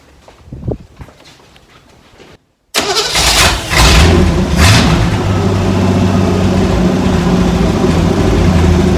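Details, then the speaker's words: 1957 Chevy wagon small-block V8, exhaust and cherry bomb mufflers removed: fires after a short crank and settles into a loud, open, rumbling lope with raw exhaust bark. "Yeah, sounds like a small block Chevy without any mufflers."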